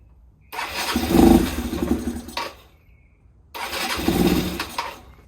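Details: 2014 Yamaha Zuma 125 scooter stored since 2017, fuel-injected, dosed with starting fluid: two short bursts of firing, each catching about two seconds then dying; fuel starvation from a failed fuel pump.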